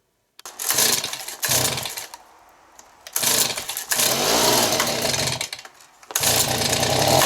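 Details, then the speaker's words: Stihl BG55 two-stroke leaf blower, hot after warm-up, after crank seal replacement fixed bogging when warm (carb kit and another carb hadn't helped), carb screw at a turn and a half: crisp revs in bursts with no bogging, normal running. "so I'm glad that fixed the problem usually it's carb issues and stuff like that"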